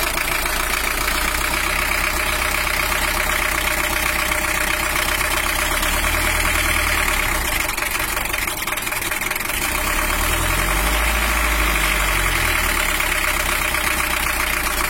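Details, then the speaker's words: Toyota Hiace LH-11 diesel after bracket repair, warming up, oil pressure now normal at 5 bar, injection not yet fully set: steady clatter at idle with slightly uneven, harsh beat and a couple of gentle revs; rough idle. "untuk suaranya itu masih normal your tapi cuma agak kasar sedikit belum kita scale"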